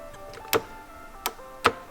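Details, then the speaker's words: BMW K100 café racer build fuel pump: only sharp single clicks, four in about two seconds, no running whir; pump clicks but won't pump, likely locked inside, leaving the fuel rail dry; seized fuel pump, replacement ordered. "our fuel pump is toast it's not working anymore so that's why we don't have any fuel in the fuel rail and it should do something but it just click but do not really pump"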